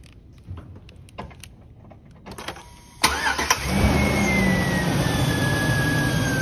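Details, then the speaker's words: 2003 Chevy pickup 5.3 V8 with warm AC, short-cycling compressor and fan clutch issue, after repair: starts and settles to steady idle under a strong, even rush of air from the fan across the radiator; fan clutch now working normally. "First impression, you can definitely tell it's moving some more air, just you can hear it, the air volume. So you can feel it, a lot more air volume coming across that fan, the radiator and fan."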